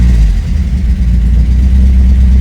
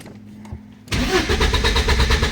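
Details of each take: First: 1986 Porsche 944 Turbo idling after it was started by shorting the crankshaft position sensor circuit with a test lamp: deep, steady, even rumble with no knocks or misses; cause of no-start still unknown. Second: 1986 Porsche 944 Turbo with a no-start problem: the starter churns at a steady quick rhythm but the engine never fires. No injector pulse was seen on a test lamp; sensors had been removed and refitted.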